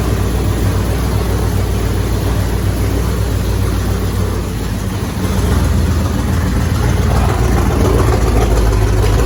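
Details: Freshly reassembled carbureted engine (coil, distributor and hoses just hooked up) fires and settles into a deep, steady low-rumble idle with slight shake. It was started without priming or starter fluid, and the finding is normal idle.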